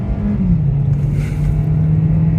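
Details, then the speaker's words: 2018 Kia Forte four-cylinder after an oil change with 5W-30, Lucas stabilizer and fuel injector cleaner, driven uphill in sport mode: strong smooth drone pulling steadily under load, no knocks or rattles; engine healthy. "You can see that this thing wants to perform and giddy up."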